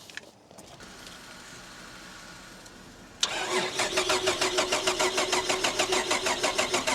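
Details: Holden VR Commodore manual, cranking after a BCM swap and work on an aftermarket immobilizer: the starter turns in an even rhythm of about three turns a second, but the engine never catches or fires.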